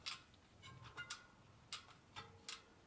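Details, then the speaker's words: Sturmey Archer 3-speed drum-brake hub rebuilt with bearing grease and gearbox oil, wheel spun after installation: light irregular ticks as some spokes hit the brake reaction arm; owner suspects the new cone sits slightly lower. "so everything has been installed but when i spin the wheel for some reason some of the spokes are hitting the brake reaction arm"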